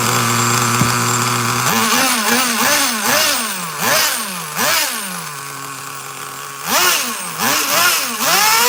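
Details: Traxxas Nitro Slash nitro engine on the bench: high buzzy revs rise and fall in short blips, sagging between throttle stabs; owner thinks it's a little too lean.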